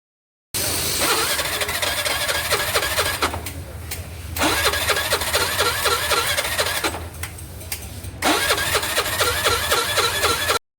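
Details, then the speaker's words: Suzuki Access 125 BS6 scooter, battery recharged, water found in petrol, oil empty: three long starter bursts with pauses, never catching; cranks but won't start. "చూసుకున్నట్లయితే vehicle అయితే start అయితే అవ్వట్లేదు ఎంత ఎంత start చేసినా కూడా start అయితే అవ్వట్లేదు"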